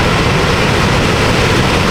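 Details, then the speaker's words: 2020 Toyota RAV4 with a new genuine Toyota blower motor fitted, after the old one made noise, then quit: steady, even rushing whoosh, no ticking, rubbing or wobble, so the blower runs properly. The old housing was later found packed with rodent nest and acorns. "Oh yeah, we got a blower now. Alright, sounds good."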